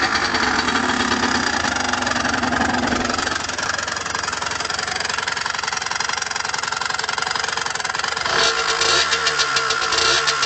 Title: Derbi Senda strange engine sound